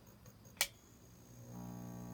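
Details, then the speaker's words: Magnum MS2012 inverter on a 12 V lithium bank with no fuses, DC in steady at 13.1 V. A light bulb load is switched on: a click, then a low steady buzz steps in and holds. AC output is erratic and low. "the tone of the inverter changes again"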